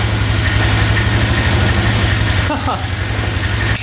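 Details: 2002 Polaris Magnum 325 4x4 ATV, bought not running and needing a carb clean, idling without choke on first start. It has a steady, even low single-cylinder thump with no knocks or misses and a beeping battery; healthy idle.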